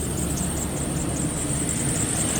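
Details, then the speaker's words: 2016 Nissan Frontier 4.0 V6 manual, 59,000 miles, sat a couple of years: thin, high, wavering whine over a low idle rumble; failing alternator being replaced. "so I'm going to give you a little sample why we are replacing this alternator my truck's a stick and pretty sure you can already hear"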